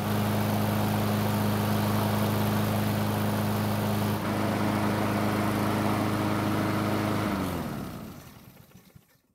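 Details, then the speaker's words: Free curbside Blackmax mower that would not start, running after a bad spark plug was swapped for a used factory plug: steady, even single-cylinder drone with no misses or surging, then winding down smoothly at shutdown. "if I think that pretty much confirms my worst fear this engine only needed a spark plug to run"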